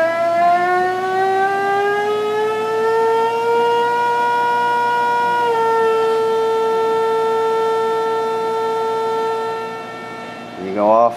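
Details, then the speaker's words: PVM2000 plasma generator (up to 2000 W, 20–70 kHz), run at about 30–35 kHz at resonance with current limited by duty cycle: strong steady buzzing tone rises briefly, holds level, then crackles at the end; power unchanged. Normal. "now you can limit the current with a duty cycle without losing the amount of power you can still you can still hear that you still have the same amount of power"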